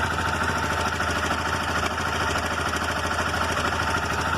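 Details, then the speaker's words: Motorcycle engine at cold idle, runs fine then develops a quick light metallic rattle like loose valves; cam chain rattle from the tensioner, noise stops when the tensioner is pressed in. "O motor tá frio, certo? O motor tá frio, olha o barulho, ó. Parece até válvula folgada, né?"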